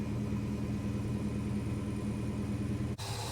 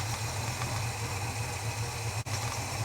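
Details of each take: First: Holden HK six, cold start after plug gaps adjusted and timing played with: fires up readily with coil buzz, steady even idle rumble without stumbles, then cuts off; normal idle, much improved, though mixture screws still suspected too far out. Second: Holden HK on a cold start, not yet warmed up, after adjusting spark plug gaps: low, lumpy idle that never settles, rough; owner suspects mixture screws set too far out and worn metering block O-rings or washers.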